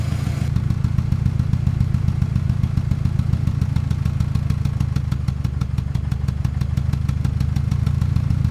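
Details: 1997 Ford Ranger four-cylinder with rough, lumpy idle and a regular thudding miss: compression test shows cylinder 1 dead at 60 psi versus 180 psi on the others; leak-down found cracked rings, air escaping from crankcase breather, oil cap and dipstick tube.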